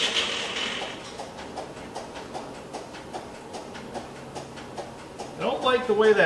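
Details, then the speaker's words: Bandit 1890XP wood chipper after twin-disc clutch replacement and adjustment: faint, uneven starter clatter ticking about four times a second before the engine catches; starter sounds unhealthy, cause not known. "sounds with the starter though I don't like the way that sounds on the starter that starter does not sound healthy does it now"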